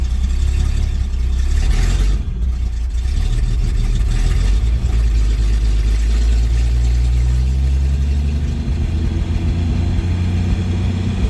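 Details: 1972 Chevy C10 pickup after new distributor, blipped from the cab: deep, even engine note rising and falling with throttle, no knocks or misses; healthy running engine.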